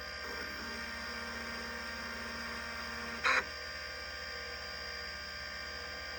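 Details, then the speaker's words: Vintage 5.25-inch hard drive that passed its self-test with one bad sector, giving a steady spindle whir with faint high tones and one brief seek clatter. It is running normally. "It has one bad, which doesn't even match this list. But yeah, one single bad on otherwise it's working great, it sounds great."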